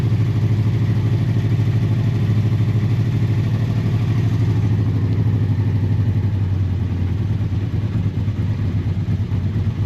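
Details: Honda motorcycle (V65 Magna, VT500C or CM250T) after winter storage, on full choke with the float bowls drained and refilled: a steady low note with even firing and no knocks or rattles. It runs fine but could use fresh fuel.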